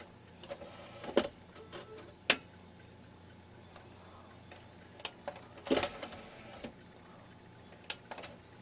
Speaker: yeah I don't want to pull back in belt slipping in it all right it's just getting old there's nothing to be done you can hear that clunk in the end so that's all it is